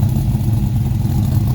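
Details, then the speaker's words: 2005 Dodge Ram SRT-10 Viper truck, 61k miles, new top end with cam, springs, ceramic-coated headers, K&N cold air intake, 6-speed manual: deep, lumpy cam idle, steady and even, quiet inside; normal idle. "Could be literally a daily driver. It runs that nice. It's pretty quiet inside."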